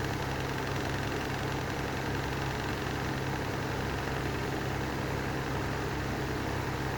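A steady, rough droning hum with a constant rumble and vibration beneath it; the fan motor's bearings are worn and need replacing.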